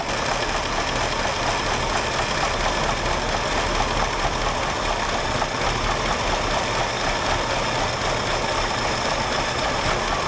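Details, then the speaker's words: Mustang II Cobra that sat 27 years, just after first start on factory exhaust, leaking fuel heavily at the filter. Uneven, lumpy idle with a ragged beat and some rattle on top; owner suspects timing may be off, not confirmed. "it's idling we're leaking fuel like crazy though our timing may be a little"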